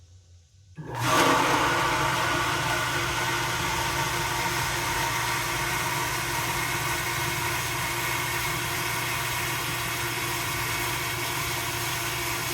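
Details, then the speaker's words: Newly installed well pump at off-grid cabin, first switch-on: steady rushing roar with constant hum as it runs and builds pressure; installer thinks it is leaking. "I think it's leaking. Yeah. Yeah,"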